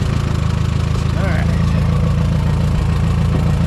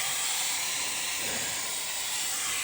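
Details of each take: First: Minneapolis-Moline M5 tractor idling cold on a 25-degree morning, hydraulic oil thick; steady even low rumble, smooth regular beat, no knocks or misses; oil pressure good, charging; healthy. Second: Minneapolis-Moline tractor: steady loud hiss of escaping steam with almost no engine sound beneath; upper radiator hose burst, coolant leak.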